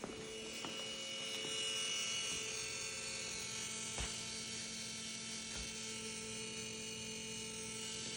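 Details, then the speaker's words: 2011 VW Jetta SportWagen 2.0 TDI after a fuel filter change, lift pump run via VCDS fuel pump activation: quiet steady electric hum with a faint whine, tone changing after about 30 seconds; normal fuel pump priming. "Okay, it's been about 30 seconds, I think. And we got to do it at least one more time. You can hear the change in the tone now."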